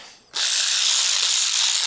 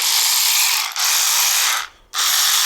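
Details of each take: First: Aftermarket cordless power ratchet head, rebuilt after an internal piece was misaligned and caused catching. It now gives a smooth, even high whirr with no catching or skipping: normal running after the repair. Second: Aftermarket cordless power ratchet, about 4–5 years old and heavily used: harsh, high-pitched rattling grind in bursts with brief stalls; the worn head mechanism jams, sticks and sometimes stops turning.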